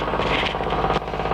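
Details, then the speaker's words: Dishwasher filling with water: hard, rattling buzz over a low hum, with the inlet pipe under the sink shaking hard. The noise occurs whenever it fills; the electronically controlled inlet valve is suspected, and clearing its clogged inlet filter fixed it. "Lately my dishwasher has been making funny vibration noises when it fills with water."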